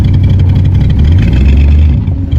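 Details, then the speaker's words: 1984 Corvette, 350 small block with Holley 1460 carb, rejetted, timing being set toward 34–36° advance, driven up and down the driveway: V8 rumble wavers and catches on light throttle. Stumble on acceleration; owner suspects vacuum leaks or accelerator pump adjustment. "There could be a couple vacuum leaks, or I could still have that accelerator pump not quite where we want."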